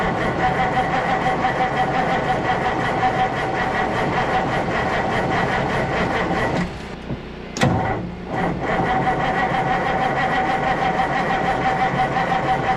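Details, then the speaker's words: Kenworth W900A diesel after months of restoration, new unbled fuel system: steady, even rumble with a clean rhythmic clatter and brief rev blips; idles healthy, though a pinhole in a fuel crossover tube leaks fuel. "Yes. Well, it runs again. That sound really good."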